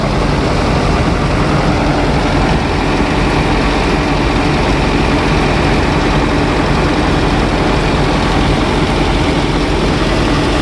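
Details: Heavy diesel engine idling: steady low rumble with an even, unbroken rhythm; nothing out of place.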